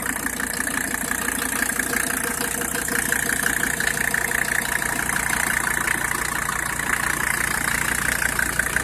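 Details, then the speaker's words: 1985 Mercedes-Benz 300D turbo diesel engine showing 312,000 on the odometer (owner suspects it is not the original motor as it runs so smooth); starts first try and idles with steady, even clatter, no knocks or misses. Normal diesel idle. "it starts right up on the first try the odometer is showing three hundred and twelve thousand I don't think that this is the original motor because it's it's it seems to be way too smooth"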